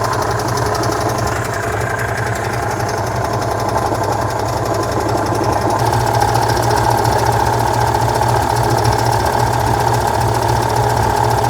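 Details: 1966 VW Type 3 Fastback air-cooled flat-four just fitted with new dual single-port 34 carbs replacing the factory carbs: steady, even rapid beat with slight lope, no knocks or misses; normal idle.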